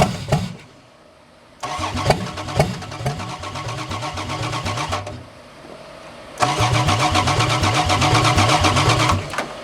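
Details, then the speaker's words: 4WD Daytona engine that sat under a cover outdoors for a year, running on open headers: very loud, fires on cranking, runs with an even beat, stops, then restarts and holds a steady run, sounding healthy. "see that sounds pretty good under that little bit of a mess"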